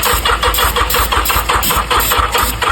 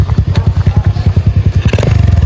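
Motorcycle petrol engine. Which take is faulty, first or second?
first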